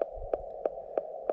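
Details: LNR MTR4B radio on 40 meters, 5 watts, counterpoise and choke, paddle mode: steady mid tone with sharp pops about three a second; speaker audio splatter, absent on Elecraft K1 and KX2, cause unknown.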